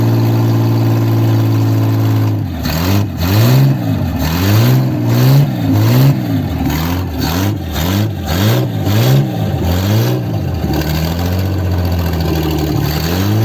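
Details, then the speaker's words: 1955 Ford Zephyr six, 46 years off road: smooth idle with repeated quick throttle blips rising and falling cleanly back to even tickover, no heavy smoke; normal running. "The Banger rice is Jeff literally ticked over I think that'll do what if we know Jeff it sounds like the Banger rice has done it good order"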